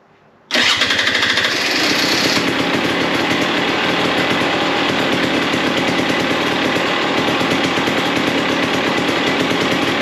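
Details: 2021 Husqvarna TX300i two-stroke (130 hours) after top-end rebuild with new piston kit, oil pump, ECU flash, billet head and throttle body modification: kicked once, fires immediately into a crisp, steady, buzzy idle without stumbling, a bit smoky; normal running.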